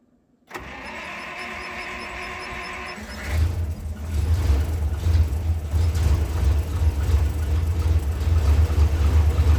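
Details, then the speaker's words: ZIL 131 military truck cold start at −8°C, unused about two weeks, fuel pumped up first: starter churns about three seconds, then the V8 catches cleanly into a strong, even rumble; normal cold start. "This Zil always starts up so easily and the engine runs so smooth. I really like the Zil."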